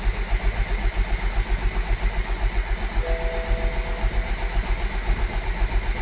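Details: BMW Z4 E89 with newly installed N20 engine, first start, only four of 5.3 quarts of oil, no coolant: steady, even idle with a smooth low beat of about two pulses a second, no knocks or misses; sounds healthy, though a fuel leak was then found.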